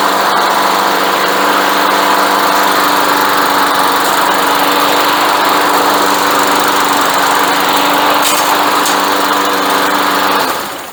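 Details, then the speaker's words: Briggs & Stratton engine on a Craftsman mower that sat about two years (leaves, insects in carb, locked drive wheels) starts after pull; steady, even run with no misses, knocks or surging, then winds down; sounds healthy, normal running. "Ceart go leor, fuaimeanna sí ceart go leor agus tá sin go maith"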